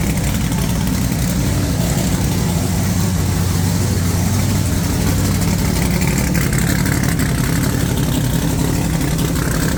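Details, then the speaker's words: Supercharged big-block Chevy V8 just refitted in the ute, oil pump primed, timing set, no coolant yet: deep, lumpy idle with steady low rumble and even firing, no knocks or misses; sounds healthy. "I actually just started it um did the timing all that sort of stuff um everything's running mint so which is great news"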